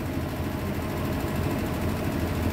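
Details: Hitachi SF-120HJ top-load washer, treated for a loud spin, now with new 65 cm shocks fitted slightly high. An even low rumble runs through the spin with no banging or thumping against the cabinet; the drum spins smoothly and steadily.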